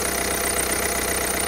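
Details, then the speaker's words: Citroen C4 1.6 BlueHDI 120 hp EAT6 diesel idling: a steady idle with a constant rough rubbing hiss from the visibly frayed accessory belt and worn pulleys; belt and pulleys need replacing to avoid engine damage. "changer cette courroie là ainsi que bah du coup les pouliers qui font que la courroie cour et comme vous pouvez entendre ça fait un bruit de couement"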